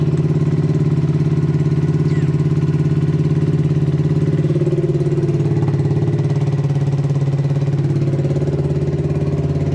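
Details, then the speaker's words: Yamasaki RS motorcycle, freshly rebuilt engine with bigger exhaust, just started after a battery problem: steady fast-idle putt with slight hunting; choke does nothing, suspected carburettor setting problem or air leak. "bon ça fonctionne plus ou moins temps donné comme starter ne sert à que dalle un problème de réglage carbu j'imagine"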